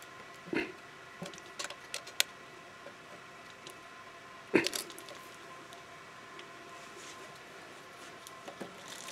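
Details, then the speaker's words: Bicycle front derailleur after fixing chain rub with the chain on the small chainring and largest cog. Inner limit screw adjusted with the cable disconnected, then the cable reconnected. A quiet even chain whir with no rub. "and we've eliminated any rub"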